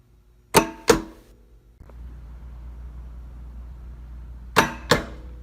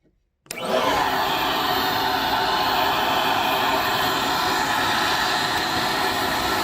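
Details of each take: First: Pulse-Bac vacuum, compared against PulseRam: filter-cleaning solenoids pop every 7 seconds as two soft pops in quick pairs over a low hum, with no sharp crack. The solenoids are weak and sluggish and the rubber valves bounce rather than snap closed. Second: PulseRam self-cleaning vacuum for tile and flooring removal, with sound-deadening chamber in head shroud; motor spins up in half a second to a steady even airy whine, no surging or rattles: running normally.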